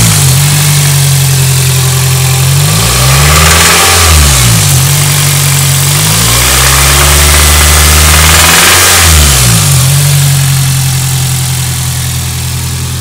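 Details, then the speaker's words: 2001 Celica GT: steady idle, then two quick revs; faint light noise from the top end of the engine, barely audible at idle but clearer around 2500 rpm; source unknown; top end noise. "can't really hear it idle but when you get up to about 2500 you could hear it right there"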